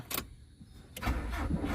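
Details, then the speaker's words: 1993 Nissan Sentra fuel-injected, after replacing burnt ECU and alternator, with check engine light on and spark confirmed; starter spins engine steadily but never fires; crank no start, fuel pump giving no pressure. "Ang problema walang fuel. So ngayon i-start natin kung talagang hindi pa nag-i-start. Walang pressure yung fuel pump. Wala."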